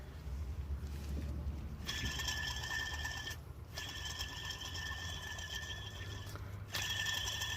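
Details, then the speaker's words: Engine drive belt system before repair: a thin, ringing, intermittent high whine from a worn idler pulley bearing. The pulley was replaced along with the belt tensioner, and the noise was gone afterward. "And same time, guys, the idler pulley, I will change this too because it's making noise as well."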